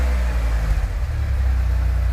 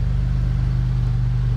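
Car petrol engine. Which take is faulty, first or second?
second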